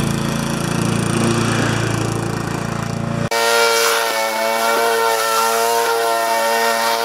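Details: Normal running under load on a Briggs & Stratton mower with a Pulsa Prime carburettor, which had a flooding carb and diaphragm issue. During a test cut the engine note is clean and even and holds speed, with no hunting or surging.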